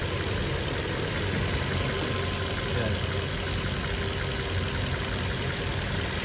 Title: Hyundai Accent 2012 knocking noise and vibration while running the car #diy #basics #tips #car